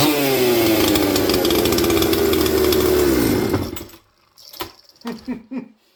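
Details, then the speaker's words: Mystery 200-series "266" chainsaw from the junkpile, cold shop: crisp, steady high-revving buzz holding a clean pitch, then cutting off; runs smoothly after carburetor tuning, took the low jet well, slightly lean at first start. "Okay, well, we have a runner, 126%. And you guys noticed, those of you with a keen eye, I was tuning the carburetor, and it was taking a tune quite nicely. It took the low jet perfect."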